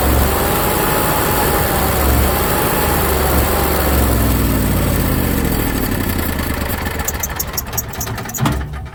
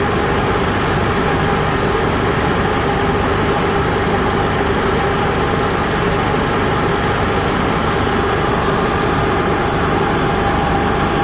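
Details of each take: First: Onan Cummins HGJAB QG 7000 generator drone sagging, stumbling and winding down after the fuel pump fuse is pulled; fuel starvation empties the float bowl and triggers a three-flash fault code 36. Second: Onan Cummins QG 7000 (HGJAB) generator running after fuel pump priming: loud, dense, unchanging drone with no misses, knocks or surges; normal generator idle, no load.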